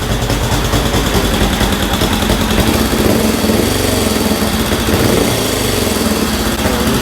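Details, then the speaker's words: 1965 Honda CL77 305 Scrambler, restored, first start in years with fogging oil smoke burning off: even twin-cylinder beat rising cleanly on throttle blips and dropping to steady idle, no knocks or misfires; running normally. "sounds pretty good sounds pretty good there we go so yeah that's awesome sounds good"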